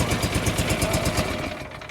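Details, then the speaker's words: John Deere 445 twin, coil pack test running on the other single cylinder; choppy, slow putter around eight beats a second that quickly dies, lower rpm and didn't sound as good; weak rough running, owner says this side is the problem. "but as you can tell it wasn't running as well on that cylinder it was running at lower rpm and it just didn't sound as good"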